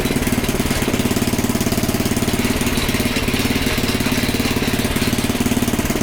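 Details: Small Predator single-cylinder engine (about 96–99 cc) on a front-tine rototiller, after the belt was tightened, with a new filter and a good plug, warming the oil: a steady chug of three to four beats a second, no misses or surging; running properly.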